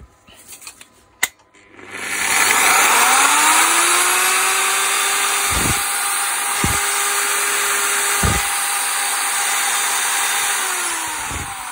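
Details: Zubr ZUBR-UShM-230-2100 PM3 230 mm angle grinder, brought in because it would not switch on, after repair that came down to a bearing replacement. Spins up cleanly to a steady, even high whine with no grinding or rattle, then winds down smoothly.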